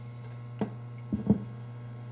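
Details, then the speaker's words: MCR game amplifier after replacing the power-supply filter capacitors: only a faint, steady low hum remains under handling clicks, far less than the loud hum before the capacitor fix. "i don't hear wicked hum yet i'm a little bit of hum but i mean it's very i mean it's nothing like the annoyance that we were getting before"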